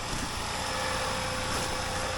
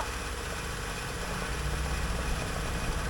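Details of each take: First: 2014 Honda Pilot after replacement engine install, fresh start, heard from under the car: steady even run, no knocks, ticks or grinding, quiet, no error codes; normal idle. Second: 2014 Honda Pilot, original engine seized at 200,000 miles, just swapped in a replacement: rough lumpy idle with uneven beat, a cylinder misfiring; engine smoking, cause unknown, codes not yet read, otherwise sounds okay.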